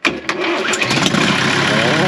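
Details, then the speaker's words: Old Ford water truck, first start in about a month and a half, fuel pump heard ticking beforehand: short crank with a couple of sharp catches, then it fires straight into a steady, even idle. "Not sure if you guys can hear that. The fuel pump is ticking away, so let's go ahead and see if she fires."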